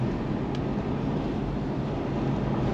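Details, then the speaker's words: 2011 Kia Sorento, rusty, driving at speed after rear wheel bearings, hubs and backing plates were replaced: steady road rumble and cabin hum, no grinding or helicopter noise, now normal. "I don't hear the grinding sound nice that's cool no helicopter noise brakes are feeling good"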